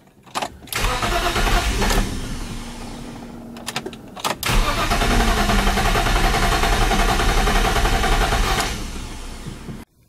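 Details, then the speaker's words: E46 BMW 330i M54B30 with M50 intake, ICV delete and N52 throttle body: short cranking bursts, then it catches, runs unevenly and dies; crank no start from an ECU checksum error code after flashing the ECU. "after a lot of fighting with this and I even flashed the factory ECU I went to the EU fortune and I also did not code out or patch out the check some uh checks inside the ECU which I read online who calls a crank no start situation like I was having and I was having a code for basically a check some eror"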